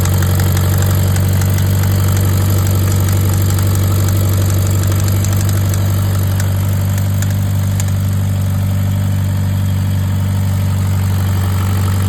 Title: Rod knock?